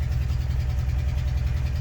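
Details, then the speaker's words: Engine run after ignoring oil pressure warning light, block ruined from lack of oil: deep regular thumping through rough idle; bottom-end knock from oil starvation. "We ignored that one until that's shot the block. That's what we call shot the block, because of lack of oil."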